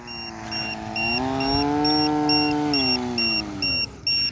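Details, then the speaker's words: Recycled-material RC model airplane after landing, steady high-pitched beeps about twice a second over small electric motor whir; LiPo alarm indicating battery getting low. "ó esse barulhinho que vocês estão ouvindo aqui é do do Lipo alarme tá que é tá indicando que a bateria tá começando a ficar baixa"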